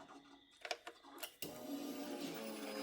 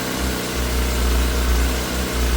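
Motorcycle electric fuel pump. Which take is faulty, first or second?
first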